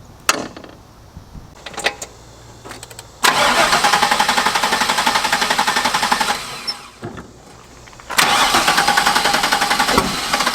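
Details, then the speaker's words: Chevy LS-swapped drift car after on-track fire, first restart: cranks, catches, runs lumpy with heavy sharp backfires, black smoke, dumping fuel, dies and restarts; something wrong, likely over-fuelling. "Yeah, bro. Black smoke. Oh god, it's dumping fuel. Backfiring heavy too. That was loud. Yeah. Something is wrong."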